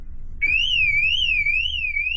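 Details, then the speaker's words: TD5 Land Rover Defender, alarm armed with owner sitting inside during a parasitic battery drain check: high siren warbling about twice a second over a faint low hum, triggered by movement inside; alarm working normally. "And there's the alarm. That's me moving in the car."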